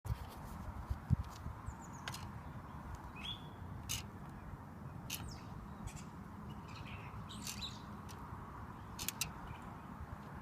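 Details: Sharp chirpy ticks and squeaks from a bicycle wheel, worse under load from the left leg: the spokes rub where they cross as the wheel flexes.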